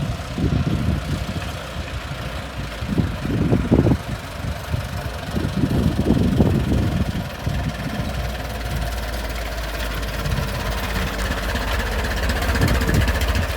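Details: Restored 1921 American LaFrance fire engine pulling down the street: a slow, deep four-cylinder beat with some road and wind noise, running evenly; fine restoration, healthy normal running.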